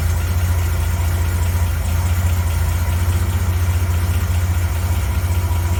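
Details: 1980 Reliant Scimitar GTE SE6A restarted after sitting over a month, fuel lines still to be replaced: deep, even, steady idle with low exhaust thrum, no knocks or misses; sounds healthy.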